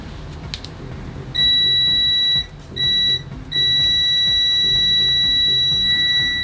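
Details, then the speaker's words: KJ103 smart multimeter in continuity mode: loud, shrill steady beep, maximum output 74.5 dBA, that cuts out briefly then holds; the buzzer works but responds with about a two to three second delay. "maximum output in continuity mode 74.5 dba pretty loud"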